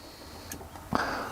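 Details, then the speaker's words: New 12V submersible water pump with microswitch tap, briefly run dry when tap switched on: click then short, steady, fairly high motor whir starting cleanly; pump working normally. "pump's working which is great"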